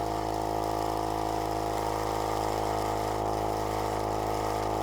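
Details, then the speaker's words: Cheap tyre inflator sold as most powerful in its class, inflating a tyre from about 19. Steady fast buzzing drone with a rough, loose rattle at about three beats a second, "like a bag of nails"; cause unknown. "it's it's it's doing all right it sounds like there's a bag of nails in there i'm not quite sure what's happening"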